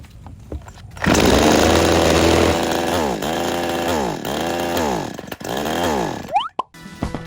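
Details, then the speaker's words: Tomitsu chainsaw during carburetor tuning, low-speed screw backed out about one and a half turns from seated: revs up then sags and surges about once a second, still stumbling on acceleration; low screw later opened further, curing the stall. "เพื่อนๆมันยังสะดุดอยู่นะครับผม"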